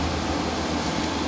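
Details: Window AC whose compressor repeatedly trips and room won't cool: brief steady low hum with airflow hiss, running with compressor on; no clear fault sound in this short stretch.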